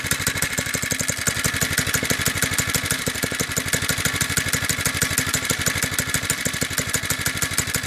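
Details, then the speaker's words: Doodle Bug DB30 minibike, stock single-cylinder engine, idling after a few drops of 30W oil on the dry clutch that was grabbing and squealing: quick even beat, no grabbing or chatter; normal idle. "yeah so no more grabbing so it seems to be every three or four hours it needs a couple drops of oil so just keep up on that for now"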